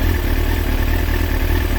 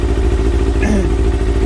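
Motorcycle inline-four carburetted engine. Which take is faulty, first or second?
second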